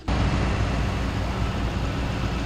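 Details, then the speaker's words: 2000 Toyota Land Cruiser, 302,000 mi, after broken timing belt repair: smooth, even idle with steady low rumble, no ticking, puffing or misfire; no exhaust manifold leaks, which these typically develop; very smooth. "This engine sounds great. There's no exhaust leaks. Very smooth."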